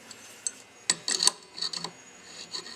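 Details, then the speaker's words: Rebuilt AC 6744 mechanical fuel pump for a 1963–1964 Cadillac, arm worked by hand as a quick bench test: a few crisp light clicks and short rasps, the pump stroking cleanly, nothing wrong. "Alright, now you can do a kind of a quick test. That noise you're hearing is the noise of the sound of success."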